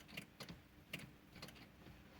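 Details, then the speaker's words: 2005 Ford Fiesta 1.4 diesel, ignition on with engine not running: faint, uneven relay clicks about two a second from the dashboard; worn ignition switch contact group causing hard starting and stalling, replaced. "тут тоже чути що щолкають всякі релюшки"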